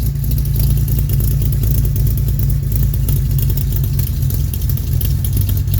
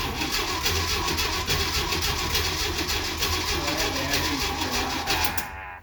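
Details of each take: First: 1969 Jeep Willys CJ5 petrol engine, cold start after sitting about 7 months with recharged battery, hard to start: deep, even low rumble with steady beat, no misses or knocks; runs well, smooth idle. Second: 1969 Jeep Willys CJ5 that sat about seven months over winter with a dead, recharged battery, on a cold spring start attempt. Rapid, uneven starter chugging turns the engine for several seconds without catching, then stops; cranks but won't start.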